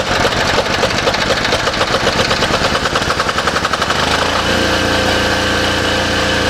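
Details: Cheap diesel generator bought as a non-runner, with a new air filter fitted and a light bulb plugged in as a test load: it cranks with a rapid even chuffing, catches and settles into a steady smooth run with no knocks; it runs healthy.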